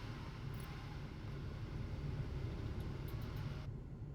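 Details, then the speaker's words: 2006 Ford Focus petrol engine idling rough with an uneven low thump as one cylinder drops out; scanner code P0303, cylinder 3 misfire. "we have d0 303 what does that mean it means cylinder number three is misfiring"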